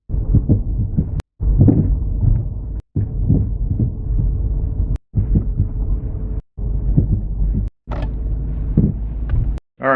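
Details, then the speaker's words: 2010 Dodge Charger on the road: dull low front-end clunks over even small bumps above cabin road rumble; fixed by replacing the sway bar end links and sway bar bushings. "so now that you heard that it's pretty substantial uh we don't have to have very big of uh bumps or anything"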